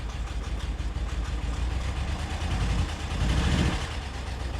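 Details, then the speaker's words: BMW E70 X5M, idling after an intake VANOS active test, with misfire faults on cylinders 5, 6, 7, one bank: uneven, lumpy, stumbling idle with deep irregular shake; cause unconfirmed. "So now I've got misfires on cylinder 6, 5 and 7. So that's one bank in particular."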